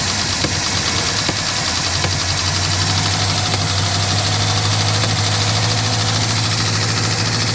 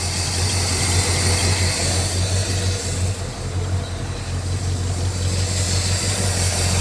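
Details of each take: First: 1967 Lincoln Continental started after sitting about 29 years, choke on: loud busy valvetrain clatter over rough idle right after start-up while oil pressure builds. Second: 1967 Lincoln Continental V8, first runs after sitting 29 years, idling to build oil pressure before an oil change: deep, steady rumble, much quieter, the earlier valve ticking gone, now running on all cylinders; idle still needs turning down.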